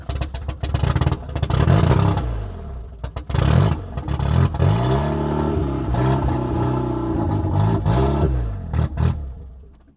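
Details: Audi 80 no-start after new ignition control module fitted: cranking breaks into ragged firing bursts that rev up and fade repeatedly on brake cleaner spray, spark restored; tachometer still shows no revs.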